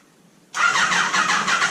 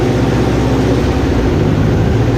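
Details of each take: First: Neglected Kawasaki ZG1000 Concours cranks evenly but never catches; spark seems present but no fuel reaching the carbs. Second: Neglected Kawasaki ZG1000 Concours after its gelled-up carburetors were rebuilt, first run: engine settles into a smooth even idle, blips up and back down cleanly, no misses or stumbles; healthy running.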